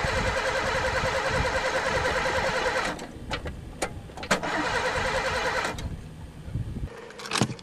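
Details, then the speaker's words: Pontiac unstarted for 3 years, gas dumped in the carb: starter spins the engine in two long bursts at about 200 turns a minute but it never fires. Cranks, no start; owner suspects no spark, and possibly chewed wires, broken fuel lines or a stuck throttle. "don't tell me this one's got no spark too there even gas dumped in it"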